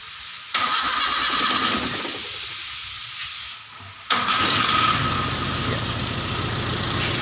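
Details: Toyota Kijang after alternator wire repair, battery about 12.7 V: short starter whir, engine catches at once and settles into a steady even idle; clean normal start, charge warning light goes off.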